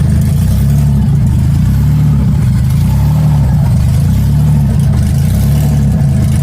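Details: 1994 Cavalier 5-speed, built 3400 V6 with strip cam and open exhaust dumping down, oil pressure checked by transducer: loud deep lopey idle with steady pulse, no ticking or knocking; running healthy.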